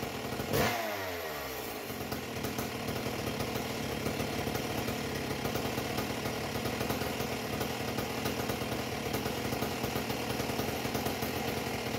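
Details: A Husqvarna 268XP chainsaw with a homemade expansion pipe, no bar, untuned; a sharp start, then a loud, buzzy, slightly blubbery high-rev two-stroke drone held steady. It is running very rich on the pipe but is zippy and responsive.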